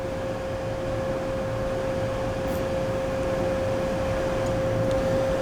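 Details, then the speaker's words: Machine coolant pump running after its float valve switches it on: steady, even hum with one constant tone, no knocking or surging; owner suspects chips clogging above the float stop it rising fully. "and then i dropped it and the pump turned off pump turned on so yeah i think the cool the the floater is floating in the water"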